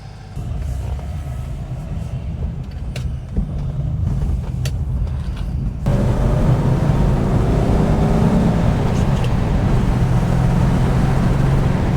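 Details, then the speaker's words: 1974 Rover 3500S V8 driving after its front exhaust pipe connection was fixed: deep, even burble with road rumble, no puffing or blowing, smoother and pulling well; healthy exhaust note. "So, as you can probably hear, I'm going to put the window up because again, I know you get frustrated when I've got uh wind noise, but he's a lot smoother and he's pulling."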